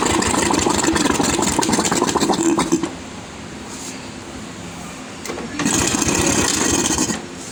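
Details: Royal Enfield UCE Electra (Bullet) single-cylinder after engine-noise repair, with head gasket, head, rocker arms, carburettor and silencer packing refitted: fires with a quick even beat, cuts out, restarts cleanly, no knock; oil circulation perfect; healthy engine.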